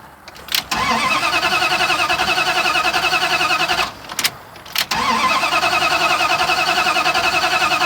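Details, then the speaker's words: Truck cranks steadily at about three and a half turns a second after sitting eight minutes, test light on coil supply positive; no firing at all: crank no-start, no spark. "okay now it's been sitting for about eight minutes and let's see what happens now there's no spark test light on or it's on off when it's"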